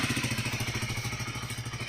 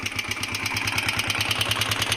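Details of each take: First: DM125 single-cylinder motorcycle after repair of loud engine noise caused by worn piston: steady even putter around twelve beats a second, no knock or clatter; idling smoothly, noise gone. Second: DM125 motorcycle: sharp, regular metallic knocking about three per second over the idle; customer suspected valve tappets, mechanic doubts it; worn piston slapping in the bore.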